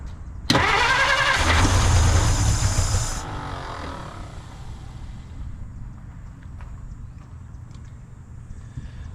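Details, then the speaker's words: 1950 Dodge Meadowbrook, sat unknown years, first start attempts after adding gasoline: starter cranks steadily, engine catches with a brief loud burst for about half a second, then dies; owner suspects it needs more gasoline, not confirmed. "All right, as you can hear, it ran for 0.5 seconds, so we're making progress."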